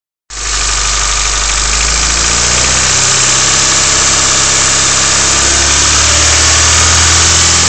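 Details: Honda EF sedan D15 engine at steady idle with a fast, fairly even tick about three per second over the engine note; owner unsure whether it is lifter tick or knock.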